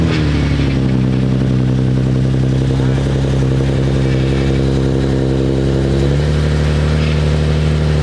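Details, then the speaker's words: Nissan 370z at idle, first start after an FDF steering rack relocation with the power steering freshly filled: an extra even hum rides over the idle, the pump making noise, likely still holding air, before bleeding. "I can hear the pump is making some noise."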